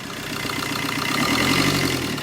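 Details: Tata Zest diesel with reported knocking (timing chain already done, noise dropped with one injector unplugged), morning start with hand on silencer: steady, even idle with smooth regular beat, no knocks or ticks, no smoke; sounds healthy.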